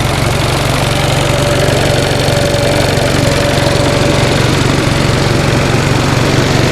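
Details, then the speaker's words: 1945 Onan generator running after a rebuild with new plugs gapped to 0.030 in, seals and gaskets, choke warming: steady, even single-cylinder beat at about four per second, no knocks, and rpm slowly rising as the choke opens; the generator is running smoothly. "isn't that a nice sounding little generator"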